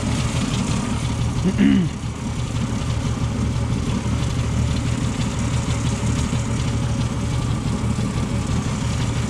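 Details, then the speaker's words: 1977 Ford F-150, 4.9L 300 cu in straight six, cold with choke set fully open after radiator replacement: loping low idle with uneven, stumbling miss-like beat, rough until warm; choke needs fixing. "Like I said, I got the choke set all the way open. So when it's cold, it's not really liking it."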